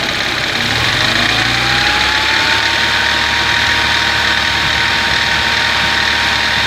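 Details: Engine at idle, starts and idles fine without misfiring: steady idle with a thin whine that climbs briefly and then holds; the source of the whine can't be pinned down.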